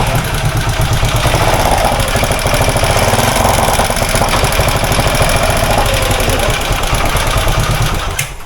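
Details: Suzuki SF Gixxer motorcycle engine at idle: fast, light clatter ticking about three times a second over the idle, pointing to a slack, noisy timing chain.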